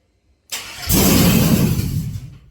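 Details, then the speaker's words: Cadillac Escalade 4.8 V8 mud-truck project, long unrun: cranks, catches and roars about a second, then revs sag and it stalls within two seconds; spark and fuel pump confirmed. "Because it starts and dies. I don't know. So, but it does fire off. It does crank over."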